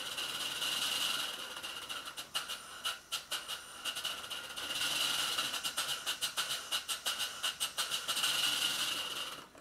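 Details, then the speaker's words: Stuart Twin Victoria model steam engine during valve timing setting: quick hissing chuffs about three a second, slightly uneven; one side's valve spindle still slightly off. "the springiness which is the early admission which cushions the motion of all the paths and stops the engine from knocking"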